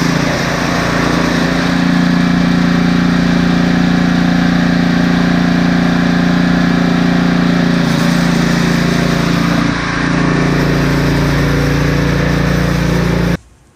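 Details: Husqvarna ST330T/ST332 snowblower that wouldn't start, oil black and smelling of gasoline: small engine runs at a steady, even pace about thirteen seconds with no misses or surging, then shuts off cleanly.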